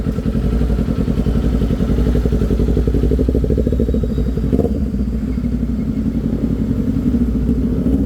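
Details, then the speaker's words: Kawasaki Z400 after backfire repair; it previously backfired when ridden hard. On the post-repair test, a steady engine drone with no pops or bangs. It runs cleanly with no backfire. "So bago kasi namin binibigay sa customer para ma-secure tayo bago namin inaano inaano muna namin ah o wala na nga wala na nga siyang backfire tine-testing muna namin"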